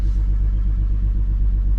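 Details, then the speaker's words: 2002 GMC Envoy petrol engine idling steady and even after spark plug replacement, with no stumble or misfire (none before either) and no check engine light. "there wasn't any uh misfire or anything before so i'm just making sure that there isn't now which would mean that everything is uh connected right spark plugs are working fine otherwise most likely check engine light would come on everything seems to be doing good right now"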